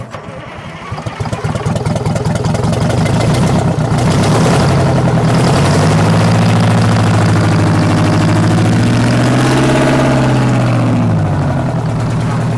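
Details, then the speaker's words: 8V71 two-stroke diesel, cranked once more: catches within two seconds, then settles into a steady drone that rises and falls cleanly with a throttle blip. Normal start and run. "Wally, that's insane, dude. It sounds like a race car."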